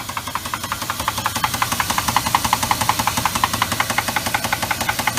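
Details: 2000 Jeep Grand Cherokee 4.7 V8 idling, heard from under the vehicle: steady sharp metallic knock about three times a second, suspected rod bearing; oil pan removed to inspect.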